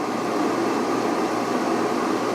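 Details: Van inverter on a LiThink 12V 280Ah LiFePO4 battery powering an air fryer at about 1540 W, now holding 12.1–12.2V after earlier cutouts from thin wires and joints. Steady, even fan rush with a soft hum and no surging or rattle: normal inverter fan under load.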